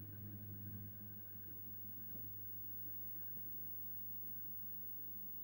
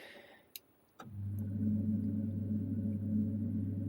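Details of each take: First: Boiler-room zone valve actuator on a home heating system, first autumn switch-on, powered up to see whether it moves: quiet steady low hum of a small geared motor turning slowly, no clicks or grinding, opening fully; actuator working normally, just slow. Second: Boiler heating system motorised valve actuator, powered back on after work on it: faint click, then slow steady motor hum with quiet ticking, crawling even slower than before but eventually passing the lock-off point; low voltage reaching it suspected previously.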